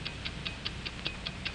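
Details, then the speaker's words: Hamilton mechanical watch (1949 training film): crisp, even ticks at five per second, steady with no skips, as an accurate watch should; normal watch ticking. "That's right, the ticking of a watch. An accurate watch ticks 5 times each second."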